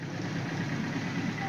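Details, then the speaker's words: 1978 Suzuki GS1000C after replacing the stuck #2 carb float needle valve, with fresh gas and new fuel filter: soft, even four-cylinder purr at steady idle, no stumbling, no fuel leak; normal idle. "So I pulled the bolt and then pulled the float and then swapped that out. So yeah, she's purring now."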